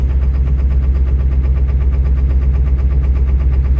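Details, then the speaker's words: 7.3 diesel cold start after sitting unplugged in snow: heavy lumpy idle pulsing about twice a second; owner suspects gelled fuel, unconfirmed. "But that sounds just like gelled fuel."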